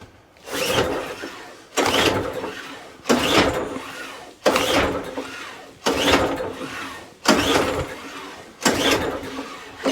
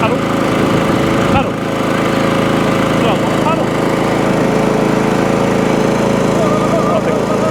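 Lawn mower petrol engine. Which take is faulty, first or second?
first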